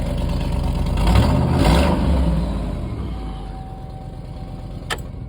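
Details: 2007–2015 Chevy/GMC truck, previously no-crank/no-start, running after a small ground connection was fixed; it revs up, then eases down into a smooth, steady idle with no stumble.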